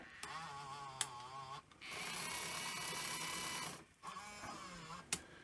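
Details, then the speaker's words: Sony EV-S700 Video8 deck (about 1988) in playback after reassembly: quiet wavering whirring, then a sustained high-pitched rush as the tape races far too fast. The capstan runs at full speed with the pinch roller engaged; rewind is fine. Cause not yet identified. "yeah so it's actually running really really fast um you know playback it's like fast forward um yeah so the cat stand is running like full speed when it shouldn't"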